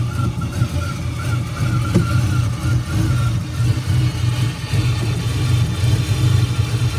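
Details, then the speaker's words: 2001 Chevrolet Silverado 5.3L V8 4WD at idle, lumpy and irregularly skipping; engine misfire. Also overcharging at 16 volts, still 16 V after a replacement aftermarket alternator; it normally sounds cammed. Cause not found. "misfiring you can hear it the shop said it was an alternator it was overcharging a 16 volts"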